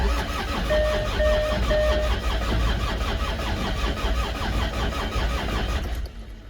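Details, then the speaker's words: Land Rover Discovery 2 TD5 diesel, battery at 13 V: steady laboured cranking about two to three turns a second, never catches; scanner reads 0 rising to just 120 rpm, too low for this diesel to fire; slow cranking, no start. "I know we've got the crank signal now correct, I think, because it shows 0 RPM and then it goes up to 120, which is too low."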